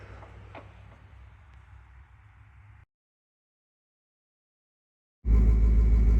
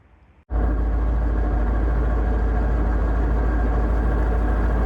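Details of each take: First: Car at idle after a new transmission replaced one with a groaning bearing and shaft play, fresh oil change, clutch in or out: smooth, even low idle with no gear rattle or whine; quiet transmission. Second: Manual gearbox on the TRKYCHT car, owner-suspected bad input shaft bearing: steady low drone and groan at idle in neutral with clutch out, tested clutch in/out before removal.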